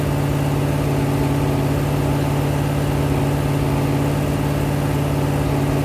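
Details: Rebuilt 426 Hemi crate V8 (new heads, intake, pistons) on a run stand during flat-tappet cam break-in, about 15 minutes in at roughly 210°, 50 psi oil pressure: steady, even high idle with strong smooth drone, no knocks or ticking; healthy.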